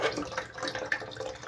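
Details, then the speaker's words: Toilet tank refilling after overflow repair, refill pipe not yet placed inside: irregular loud splashing and gurgling of water pouring loose into the tank; noisy refill, fixed by putting the pipe inside. "The sound, it's very ugly sound. So if I just place my pipe inside there, just like that, I don't have to hear the water entering the tank, that sound."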